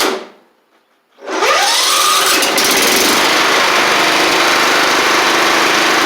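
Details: John Deere L110 riding mower, battery at 12.3 V: the engine fires up quickly and settles to a steady, even drone with no misses or knocks; it runs normally.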